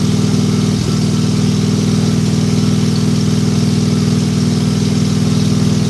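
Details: Briggs and Stratton small engine with plastic carburetor, key and fuel on, idling with a steady, even putter at a fast regular beat, no misses or surging; normal, healthy idle.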